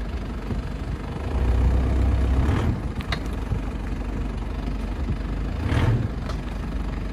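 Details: 2005 Mitsubishi Shogun (Pajero), reversing off drive in the morning and braking: two low groaning clunks a few seconds apart over quiet idle; owner suspects load-related as weight shifts, ball joints look good, source unknown.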